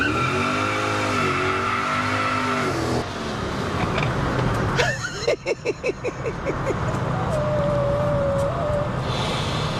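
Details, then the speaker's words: Project bakkie on its first test drive after engine and exhaust were fitted: loud wavering tyre squeal as the engine revs hard while one rear wheel spins freely; open differential wheelspin. "This Bakkie is gonna be so awesome I don't think these tires are gonna make it all by the workshop. I think these tires are gonna be cooked by the time we get there."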